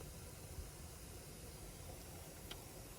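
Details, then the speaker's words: Lexus GX470 aftermarket radio with amplifier, blue gain knob for the factory radio input turned all the way up, no music playing: steady hiss over a low rumble from the speakers; amplifier input gain set too high, fading when turned down. "basically this blue knob right here is the volume of your factory radio i'm gonna turn it on all the way do you hear that"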